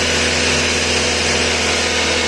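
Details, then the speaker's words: Nissan Sentra under diagnosis for running too fast: fast, steady engine drone that never settles or hunts; high idle, cause not yet found. "tenemos también un Nissan Sentra el cual estamos sacando diagnóstico porque está muy acelerado"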